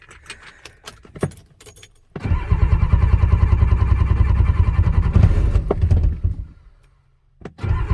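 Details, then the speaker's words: 1985 Ford F-350 dump truck, 6.9 IDI diesel, newly fitted high-torque gear-reduction starter: strong, even churning crank with steady low beat, no grinding or clicking; normal cranking before starting fluid is sprayed. "well it's turning over let's hit her with some cobb"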